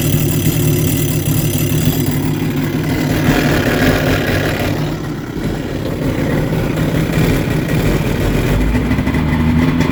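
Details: Sea-Doo XP 951 two-stroke watercraft idling: a loud, rough, steady drone coming from the jet.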